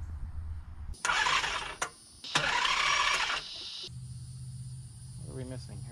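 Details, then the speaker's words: 1994 Nissan Maxima VG30E V6 first start after head gasket replacement: two bursts of starter cranking with no firing; distributor was reinstalled randomly, so timing is suspected off and will be reset to top dead center. "Okay, so I think what we got is when I stabbed a distributor back in, you know, just randomly with a little bit of hope and crossing my fingers, I must have got it wrong."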